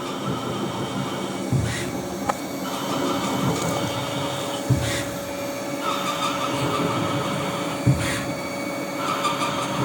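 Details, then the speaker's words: CNC lathe turning a TR28x5 trapezoidal internal thread in cast iron with a leading-edge cut: steady ringing over coolant and spindle hum, sharp hit each pass about every 3 s; threading tool chatters past about 80% depth despite feed and speed changes. "Once we get in about 80% of the depth, she'll start to chatter. Again, I've tried with the feeds and speeds."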